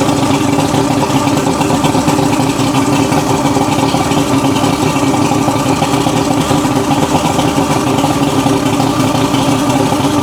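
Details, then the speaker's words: 1980s Mercury 150HP Black Max V6 2-stroke outboard after repair work on a non-running engine: steady, even mid-pitched drone with no misses or knocks, smooth idle; now running cleanly, sounds a lot better. ">> That sounds a lot better."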